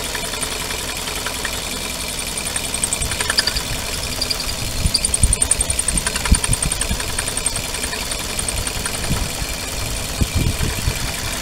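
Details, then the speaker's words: Suzuki petrol car idling with a faint, wavering high whistle when the clutch pedal is pressed: the clutch release bearing rubbing on the pressure plate diaphragm fingers. "الصوت هذايا هو البيتي تخدم على حشيه البلاتو يعني الابرج بدا يصفر"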